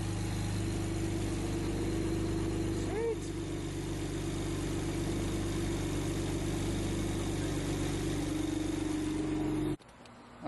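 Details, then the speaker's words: BMW 335i after installing new ignition coils and correcting swapped cylinder 1 and 2 connections: smooth, even idle with steady low hum and no stumbles; misfire gone, all cylinders firing cleanly. "We started the car already, as you saw, and it ran perfectly."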